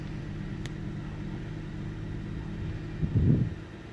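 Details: 1998 Ford Taurus SE OHV V6 at idle, hood open: low uneven rumble with occasional stumbles and a brief louder sputter near the end. Misfiring rough idle; earlier swung 400-1000 rpm without warning lights. Cause unknown.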